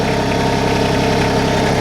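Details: New 2022 LS MT125 tractor with about 1.1 hours on it, small three-cylinder diesel just started. Steady even idle clatter with consistent rhythm, no misses or heavy knocks; sounds good, normal.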